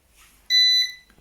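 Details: Eaton 5E 850i 850VA/480W UPS under low router load: one sharp high-pitched beep lasting about a third of a second in a quiet room, a UPS warning beep, possibly for running on battery; cause not confirmed.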